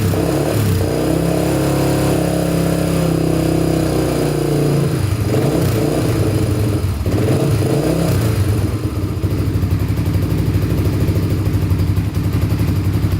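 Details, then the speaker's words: 1987 Honda TRX250X single-cylinder quad, after rejetting for an aftermarket silencer and freeing a stuck throttle cable: after throttle blips it settles into a steady, even idle; runs clean, normal idle. "that's a little better there we go running pretty good now"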